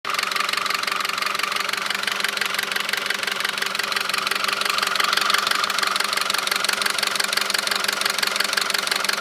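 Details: 2009 Audi A4 2.0T, 82,000 miles, at idle: rapid, even metallic knocking about three a second, loudest by the PCV. Dealer found metal flakes around the cam lobes and recommended a new engine; car is sluggish from a stop. Cause unconfirmed.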